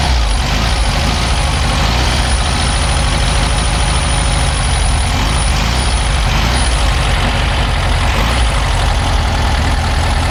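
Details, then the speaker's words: 1964 VW Beetle flat-four, unrun nearly 20 years, after refitting original carburetor on reused base gasket: steady deep rumble with even beat; normal running after start, though clutch faulty and won't go into gear. "However, it did start up fine, but it would not go into gear."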